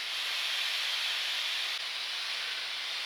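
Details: Low-temperature probe station cooling under vacuum: steady, even high-pitched hiss with no sputter or surging as liquid nitrogen flows in open-loop cooldown; normal liquid nitrogen flow.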